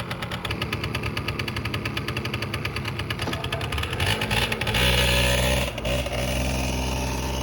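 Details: 1989 Yamaha Riva Razz 50cc (SH50) two-stroke scooter, 2,500 miles, after a complete tune-up and years off the road: buzzes along steadily at a fast even beat, picking up midway, no knocks or rattles; runs healthy, slight smoke from leftover oil.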